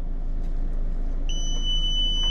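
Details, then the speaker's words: LG Multi V indoor unit leaking water in cooling mode, float switch test: a steady high-pitched meter beep over a low background rumble shows continuity at about 0.5 ohm with the float down. "with the float down.5 ohms. And if I move it up, we got O. I'm going to bring it down.5 ohms."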